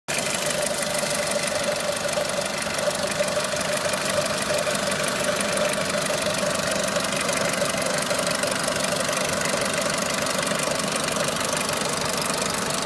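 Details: Renault Clio 3 1.4 16V at idle: irregular knocking about three per second over the running engine; engine knocking.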